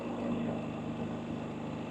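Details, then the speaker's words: Harbor Freight Predator 3500 inverter generator, periodic exercise run: smooth, even hum at steady moderate speed, no surging, knocks or rattles; very quiet and healthy. "but as you can hear it's very quiet"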